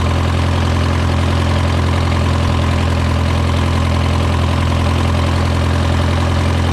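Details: Case VAC tractor idling after a new aftermarket water pump was installed (it previously overheated to 80°C and still climbing after a coolant change); coolant flowing, temperature near 35–40°C. Deep, even thrum at steady idle, no knocks or hunting; healthy idle.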